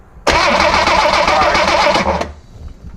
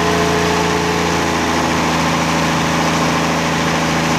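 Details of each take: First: 1963 Rambler Classic 660 that sat a long time, after filing and cleaning the ignition points: steady fast starter cranking for about two seconds with no firing; turns over but won't start, spark a little orange. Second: 1963 Rambler Classic 660 restarted after long storage, points, condenser and carburetor needing cleaning: steady mid-pitched idle with a brief pitch shift near the end, no knocks; it runs, but it stumbles off throttle, carburetor idle circuit suspected.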